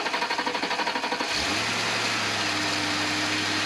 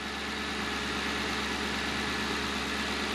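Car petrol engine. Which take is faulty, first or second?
first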